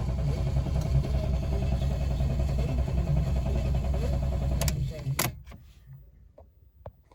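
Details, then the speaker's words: £200 Fiat 500 that fired then died straight away, possibly after running out of fuel: steady even cranking at about 2.5 beats per second that never catches. Owner unsure whether it is flooded. Crank-no-start. "so yeah nothing just turning over turning over I don't know whether I flooded it or there's something else wrong with it"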